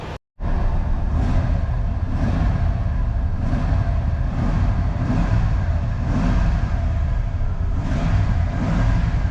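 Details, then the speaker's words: Old Ford F150 V8, previously seized engine revived under a month ago, just after correcting the spark plug firing order to 1-5-4-2-6-3-7-8: deep steady rumble swelling with each throttle blip, now running halfway decent. "now it's running halfway decent might as well throw a new filter on there not too bad"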